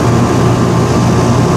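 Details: Rheem 2-ton outdoor condenser running with a steady, even low hum from compressor and fan, no rattles or buzzing. Capacitor again found bad; the tech says the fan hadn't run and a stalling fan is suspected of causing freezing. Refrigerant on par, suction pipe now icy cold, cooling normally.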